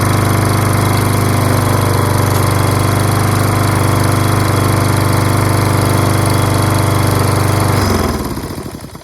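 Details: Toro Recycler self-propelled mower with Kohler XT675 6.75 engine, after fixing rusty flywheel brake and fouled spark plug and washing: single-cylinder runs steady and even at full throttle with clean firing beat, then shuts off; runs fine.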